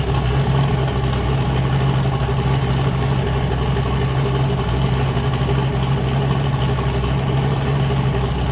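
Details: Boosted car "James Brown", new cam fitted after a 23 psi run blew a coupler off, freshly started: loud, lopey V8 idle with a hard, even chop on all cylinders, no misses. Normal cammed idle.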